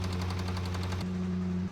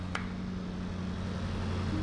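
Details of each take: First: Range Rover SVR engine: sharp metallic knocking, about ten a second, over a low engine drone; rod knock from worn connecting rod bearings on the crankshaft. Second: Range Rover SVR after engine swap and reinstallation with subframe, first start, cooling fans on: smooth, even idle with steady low rumble and fans whooshing, no knocks or misses.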